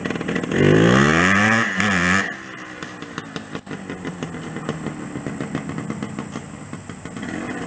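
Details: 1981 Suzuki TS250 two-stroke, barn find with new piston rings, rebuilt carburetor, new oil and oil injection lines, no battery; fires, revs crisply twice, settles to even popping ring-ding idle; normal running.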